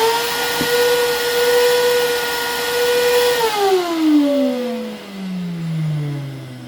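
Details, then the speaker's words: Vax 6131T Multivax vacuum cleaner, an old machine used daily for mobile car valeting: loud, piercing, steady high-pitched motor whine while running, pitch sliding down as it coasts to a stop; motor sounds badly worn and is being replaced with a motor from another machine believed to be good. "it's actually starting to make some really weird noises that it gets used daily on a mobile car Banner and the uh tone that the motor has changed to really quite high pitched sound"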